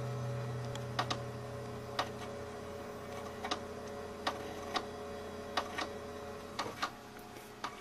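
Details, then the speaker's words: Power Macintosh 6500/275 with an IDE hard drive at power-on: sharp, irregular clicks, often in pairs, over a steady fan hum as the failed drive tries and fails to spin up. "that clicking is the hard Drive attempting to spin up but it's not happening"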